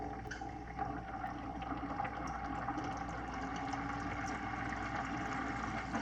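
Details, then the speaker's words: Jebao DC-6000 aquarium return pump after vinegar soak, disassembly and cleaning, tested in a 5-gallon bucket of water, ramped from 3 notches to full: steady mid-pitched hum with water churning, smooth with no rattle; runs normally. "Okay, so the pump is in a 5-gallon bucket with a little bit of water in it. We're going to turn it on and see how it works."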